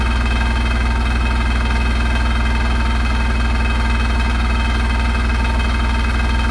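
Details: Hotpoint NSWR843C washing machine on final fast 1200rpm spin: loud constant high-speed roar with a rapid rattling pulse about four times a second; rattling really loud at full spin.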